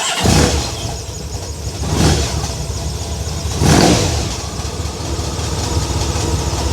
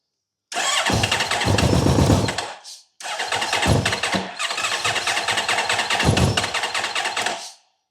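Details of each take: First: Honda VFR1200F V4 that misfired, would not idle and ran rough below 4000 rpm, with the vacuum line connected: a deep, even idle with mild swells. The owner suspects a tapping comes from the exhaust valve. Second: Honda VFR1200F that misfires, won't idle and runs rough below 4,000 rpm, started on jump cables with little fuel: ragged, stumbling running that briefly dies and catches again; still misfiring.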